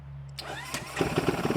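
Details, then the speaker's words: ZS212 4-valve engine in a 2025 Boom Vader BD125-10 Grom clone, newly fitted Nibbi PE28 carburetor, cold, no choke, idle set around 2,000 rpm: starts after brief crank and settles into a quick even putter. Normal idle. "I'll let her idle a little bit. Seems to hum along pretty good so far."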